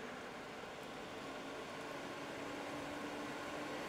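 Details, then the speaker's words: Expella EC inline exhaust fan on a poor duct run, on a low setting: quiet, even airy hiss with faint steady hum; runs smoothly and efficiently. "and quite quiet. But as you crank it up, it does get louder, but the flow gets more."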